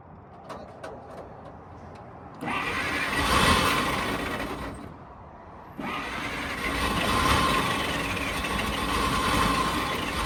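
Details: 1940 Dodge VFA32 winch truck, 85 years old, first start, with a major radiator leak found: cranks, catches and settles into a steady, even idle with no knocks or misses. Normal idle.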